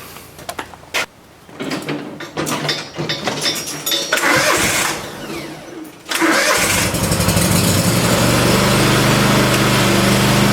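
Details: Cub Cadet M60 Tank mower, which had been stalling after about 30 minutes of running, on its test run after a fuel filter change, carb air port cleanout and spark plug service: cranks, catches after a few seconds and settles to a steady, even idle.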